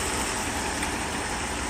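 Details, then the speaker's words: 1994 Mercedes S420 V8 idling at night after repair, no longer misfiring, three oiler tubes replaced; even steady idle with no stumbles, shakes or misses, socket stays on engine cover; runs nice, like day and night versus before. "So it runs nice. From what it was to the way it is, it's just like day and night."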